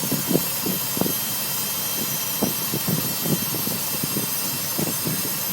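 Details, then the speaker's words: Warm 2005 Nissan Armada LE 5.6L V8 at idle: an uneven buzzing rattle from the front of the engine, somewhat like a fuel pump. Oil pressure drops when in gear; the timing chain or chain guide is suspected but unconfirmed. "I've been told uh last year when I first initially had this problem it could have been like uh people have said uh it could be the timing chain or the timing chain guide"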